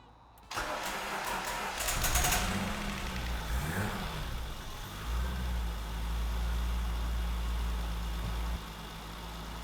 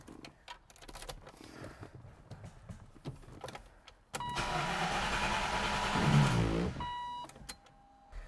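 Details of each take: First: 1993 Land Rover Defender 90, 2.5 L turbo diesel, after valve clearances adjusted with feeler gauge: starter cranks briefly, engine catches with a couple of blips, settles into smooth even idle with no top-end ticking; tick gone. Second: 1993 Land Rover Defender 90, 2.5 L turbo diesel, driven within recent months, battery good: after clicks and rattles starter spins engine evenly about two and a half seconds but never catches; no fuel suspected, owner and shop blame failed fuel pump.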